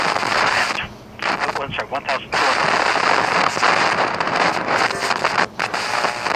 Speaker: so that scary noise that you're hearing is due to oxidation of the tuning contacts inside of the condenser assembly of a tuner